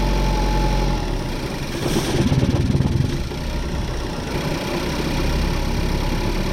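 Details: 2014 Ford Focus with over 200,000 miles, after spark plug replacement and throttle body cleaning, unresponsive throttle pedal: idle rumble rising and sagging with no steady rhythm; unstable idle, throttle control trouble suspected, not confirmed.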